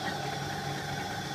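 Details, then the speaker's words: Kenwood Chef A701/A mixer, cover off, motor and pulley only, centrifugal speed governor: steady hum with slight rapid pulse as governor contacts open and close; correct running, not a fault. "if I take the cover off so that we only have the motor running oh and a pulley in there you'll hear it pulse as the contacts open and"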